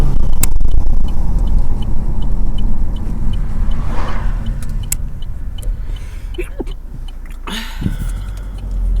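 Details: 2014 Astra Sports Tourer above 40 mph with one window down: deep, throbbing low rumble pulsing through the cabin, wind buffeting pressure from the single open window, not the camera.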